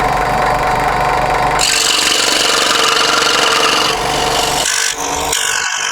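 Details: Second-hand Clarke 16" scroll saw after cleaning and new blade, cutting a wood sample: fast steady buzz of blade strokes with rasping cut, no knocking or rattle; works fine.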